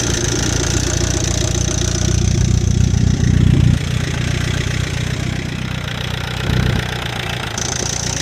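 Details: Chevrolet Captiva with a used replacement engine idling with an uneven, rough knocking in its low drone; owner suspects a bad used motor, not confirmed.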